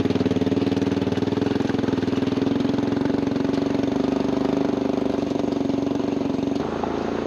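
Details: 1996 Honda FourTrax 200 Type 2 ATV after battery, carburetor, JB Welded cracked intake and rear sprocket; steady single-cylinder putter at even idle with regular firing beat, no knocks or misses, runs cleanly.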